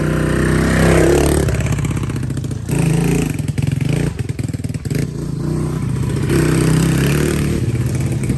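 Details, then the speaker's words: Cheap Amazon quad, small single with bigger carburetor, cold air intake and stock exhaust, ridden by a 200-pound rider; revs up and down under load with crisp, even exhaust beat and no misses; normal running under load. "it sounds pretty sick and it's still the stock exhaust the only thing different is the carburetor is better bigger and it's got a cold air intake"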